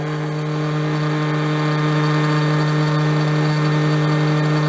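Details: 200 W DC motor on RC car H-bridge test at full power, about 1.5 A draw, transistors near 25 °C: constant steady hum at one pitch, no grinding or rattling; normal running at maximum speed.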